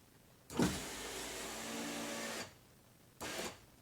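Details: 1999 Pontiac Grand Am GT 4-door, about 20 years old, after repairing the rear window regulator clip: an even motor whir for about two seconds, then a short second run, steady with no grinding; the window now holds and works normally.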